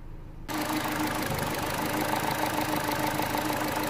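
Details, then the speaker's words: Vauxhall/Opel Astra H 1.8 petrol idling with code P0170 (running lean): a steady hiss and faint hum. The EVAP tank ventilation (purge) valve is stuck fully open with a ripped membrane, letting air be sucked constantly into the throttle body. "that if I take this this valve is fully open is not doing nothing the membrane inside is wrapped is ripped and is allowing air constantly being sucked into the into the throttle body messing up everything"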